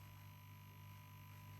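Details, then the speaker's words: 1950s Masco ME27 tube amp on bench with 5V4 rectifier fitted: steady deep mains hum with buzzy edge appears as voltage comes up; suspected transformer filament winding, B+ only 280 V and fluctuating. Cause suspected, not confirmed. "So, that must be the filament on that filament winding then on that transformer that's doing that cuz we didn't have that before, did we?"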